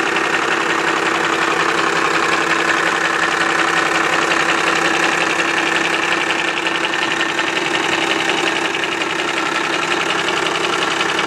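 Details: Cummins 12-valve diesel at idle: steady idle with a sharp regular knock near three per second, clear above the clatter; owner suspects the injection pump, not confirmed.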